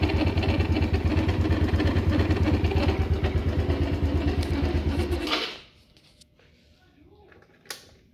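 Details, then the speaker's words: Mid-2000s Polaris Sportsman 90 ATV brought in for smoking, started with a little throttle: idle with a dry, gritty rattle over its thumping beat, then shut off; dry bearing suspected under the belt cover, possibly crank bearing. "I'm sure you guys heard that too. There's definitely a dry bearing somewhere. I'm gonna pull off the belt cover and see what's going on in there and hope it's that and not a crank bearing."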